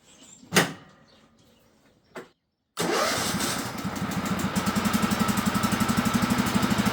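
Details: Cub Cadet mowing tractor after spring tune-up: cranks briefly, catches and settles into a steady even idle, regular firing around four per second; starts and runs healthy.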